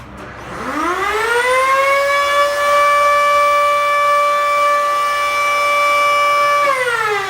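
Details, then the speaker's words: Beko Activa 2000 W BKS 5120 vacuum cleaner with weak suction: a loud siren-like whine climbs fast on start-up, holds at a harsh high pitch, then winds down; the motor is worn out. "yoksa süpürge mizde Bu sesle çıkarıyorsun motorunuz gitmiştir yani motorun uyanmıştır"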